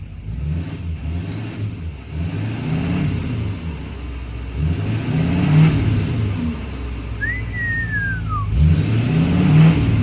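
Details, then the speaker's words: Diesel L5P just fitted with a 64mm turbo, first start after installation: three clean throttle blips, each bringing a rising turbo whistle that fades as revs drop, healthy engine and turbo. "Oh, yeah. Listen to this thing just purr."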